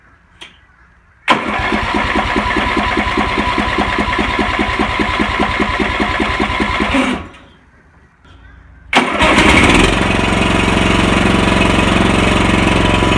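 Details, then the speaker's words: Husqvarna Rider 970 with a Briggs & Stratton 15.5 HP engine, after replacing the stripped starter gear and the 22-year-old flywheel ring gear. The starter cranks with a steady chug, pauses, then the engine fires and runs smoothly: a normal start and idle. "there you go, guys. New ring gear, new gear on the starter. Starts good,"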